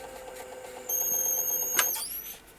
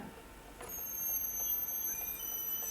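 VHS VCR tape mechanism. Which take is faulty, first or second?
second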